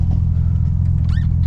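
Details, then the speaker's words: Integra after gearbox replacement, on the road: even low engine rumble with no whine, rattle or grind; shifts smoothly, much quieter, owner wonders if the pilot bearing caused the old noise; normal transmission. "Tôi tự hỏi có phải vòng bi thí điểm đã gây ra nhiều tiếng ồn đó khi không hoạt động không vì bây giờ nó đã yên tĩnh hơn rất nhiều. Nó thay đổi quá trơn tru!"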